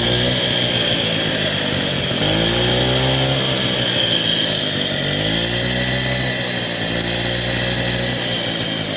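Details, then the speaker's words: 1964 Raleigh Runabout RM8 original 50cc two-stroke revving up and down with a harsh, rattly mechanical roar over the exhaust note; horribly noisy worn crank main bearings, plus lack of power, prompting full rebuild with casing split. "Another point of why I want to do this rebuild is the crank bearings are horribly noisy."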